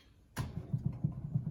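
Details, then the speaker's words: Toyota LandCruiser front wheel raised, bearing plate deliberately loosened to simulate a loose wheel bearing: dull, low knocks in quick succession as the wheel is rocked, indicating clearance in the bearing. "hear the noise so that's the noise you'll have if you jack your front wheel up off the ground and you go to get any movement in your wheel you listen and you feel so it's a knocking feel in your hands you feel the component knocking which indicates there's clearance there"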